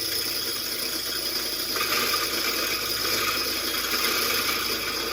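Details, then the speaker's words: Hand-fed corn grinder milling Hickory King corn into cornmeal: steady, loud rattling grind with a hiss on top that stays even throughout; normal grinding operation. "You'll hear it grinding a few pieces and it's going. So, you see what I'm saying? It's loud, it's noisy, but it makes a food product so we can eat it."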